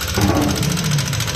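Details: 2021 Yamaha NMAX 160 at idle, ridden in with an unknown fault: fast, regular metallic ticking at the valve cover over the idle, suspected faulty rocker arm; valve train tick from excessive valve clearance.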